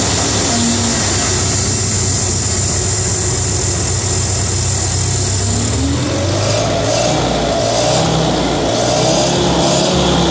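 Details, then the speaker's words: 1950 Towmotor LT40 forklift, Continental flathead four, after choke and carburetor work: breathy, hissing idle with a loose, uneven pulse, then a slow rise in pitch when revved; the owner thinks it is wheezy from low compression and probably somewhat worn. "it's pretty low compression so it's kind of wheezy and it's probably worn out a little bit too"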